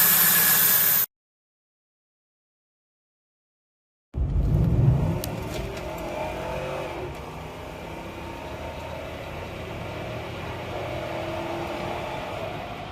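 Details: 2004 Jeep Grand Cherokee with over 225,000 miles, first start after replacing all fuel injectors (three originals cracked), airbox not yet fitted: after a silent pause it catches, revs briefly, then settles into fairly even idle with no misfire or knock.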